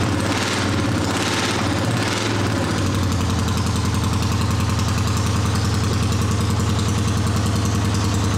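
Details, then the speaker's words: A 1979 Honda CX500 twin cafe-racer project idles with a lumpy, uneven beat of about 2.5 pulses per second. One cylinder sounds weak, a likely misfire, and the right exhaust runs colder than the left. "Okay, so it's running. Sounds not too bad. The right exhaust is a little colder than the left exhaust, so"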